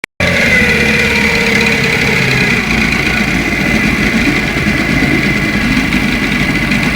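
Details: Moskva two-stroke outboard motor at idle: busy buzz with a dull connecting rod knock; early crankshafts and rods took 2.540 needles, later 2.498–2.500, leaving excessive needle bearing clearance.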